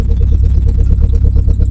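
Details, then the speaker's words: Renault Clio Mk1 1.8 16v with no exhaust and old fuel, off the road since 2017, creeping forward under light load: an uneven, lumpy beat with a slight stumble. It is missing, likely due to bad old petrol. "So the fuel's probably not great, and she is missing a little bit. But yeah, she runs!"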